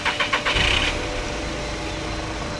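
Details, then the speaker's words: VW Polo 1.2 petrol cranks, catches and settles into a steady idle with no belt squeal after a new auxiliary belt and tensioner were fitted. "That is bang on, and more importantly, no horrible squeal. That sounds so much better."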